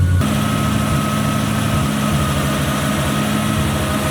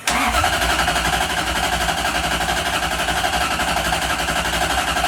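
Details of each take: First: 1UZ-FE V8 swapped Mazda RX-7 FC after hardwiring fuel pump to battery (pump power cut while cranking): starts easily, steady even idle with smooth low burble, no misses or knocking, clean shutoff; normal idle. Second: 1UZ-FE V8 swapped Mazda RX-7 FC, hard to start, after coolant temperature sensor and new spark plugs: steady starter cranking about eight seconds with no firing; cranks but won't start, suspected no power to fuel pump while cranking.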